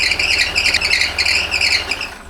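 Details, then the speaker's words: Land Rover Discovery 4 with a rebuilt 3.0L SDV6 diesel on first start, coolant low from a severe diesel cooler leak; shrill chirping squeal pulsing over the diesel rumble as coolant on the serpentine belt makes it slip. "so the noise you hear is the coolant on the Belt okay we don't need desktop mechanic comments it's known okay"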